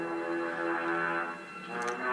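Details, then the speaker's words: 1939 Philips radio (model 1941), recapped, field coil speaker, phone via auxiliary input at full volume: music thin and quiet, no hum or distortion; plans to add a preamp. Low output from auxiliary input. "let's play now turn the volume right up that's it that's all i get out of it full volume and my phone"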